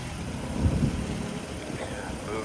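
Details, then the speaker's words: 2010 Nissan Rogue at a police auction, started right up with a jump, in rain: low, even idle with a brief rev, no knocks or rattles; engine sounds healthy, normal idle. "$85 on the key fee on the Nissan. She started right up with a jump."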